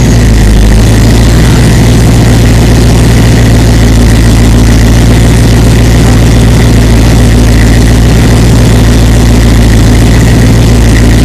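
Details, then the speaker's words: 6.0L LQ4 V8 LS swap in a 1936 Chevy sedan, first start after engine rebuild, no coolant in system, headers heating: loud even idle with a faint light tick on top, possibly back cylinder/valvetrain; cause to be checked. "so we do have a little bit of tick in there have to look at why that is"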